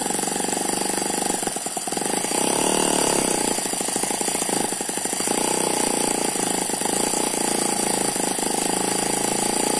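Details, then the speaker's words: Eachine ET9 (M15) mini single-cylinder gasoline engine with twin internal spinning counterbalances, running on fuel: fast, steady even buzz, no misses or knocks, gear noise like a turbo; vibration only from sitting on tarpaulin; normal running. "that's a very smooth running engine it does not dance around the main vibration here is because it's on top of this this tarpaulin"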